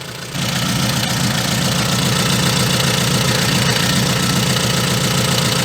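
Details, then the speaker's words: VAZ 2114 after fitting a new part: steady, even idle with no knocking, rattle or play. The engine is running smoothly. "чтобы сейчас работает вообще как часики никакого люфта ничего сами слышите и видите"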